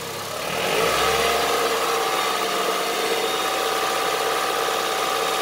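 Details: Honda CR-V III 2.4 engine revving up and holding: coarse, fast, diesel-like clatter over the run; engine knock, cause not pinned down.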